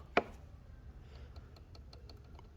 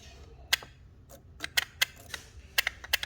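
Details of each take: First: 2014 Chevy Malibu with P0011 code, no power and sluggish: cam timing solenoid clicks faintly and unevenly, pulsing, faltering and stopping at random while powered and tapped; the solenoid is sticking. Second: 2014 Chevy Malibu with code P0011, no power and sluggish: a new timing solenoid bench-tested by touching it to power gives crisp, clean clicks, first scattered then quick and steady. It actuates properly, unlike the old solenoid that stuck.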